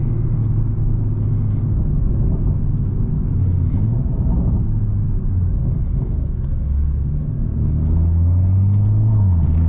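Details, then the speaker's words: BMW M340i B58 tuned to 700 whp: steady deep six-cylinder drone under light throttle with AC on, no knocks or ticks; running healthy. "And yeah, it's healthy though, which is the most important thing. I even have the AC on."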